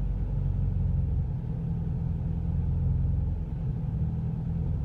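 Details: Renault Clio 172 between 1000 and 2000 rpm: low, uneven engine rumble that surges and sags at steady throttle, rev needle jumping with pedal steady; misfire with rpm hunting.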